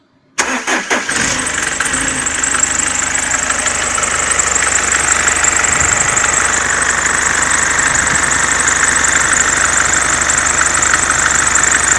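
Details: Mercedes C-Class S202 220D estate diesel starting and settling to idle: loud, steady high hiss and whine from the accessory belt drive; owner suspects alternator freewheel or belt damper, unconfirmed.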